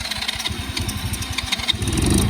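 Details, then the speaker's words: Cheap Chinese kids quad, sat for years, fuse hot-wired, key on, choke off: the starter churns in quick uneven pulses for about two seconds, then the small engine catches and runs steadily. Normal start; the owner suspects a fouled spark plug. "There it is. Okay, so she's the runner. Was running."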